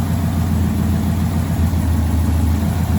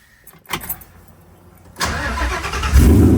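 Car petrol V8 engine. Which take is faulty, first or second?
first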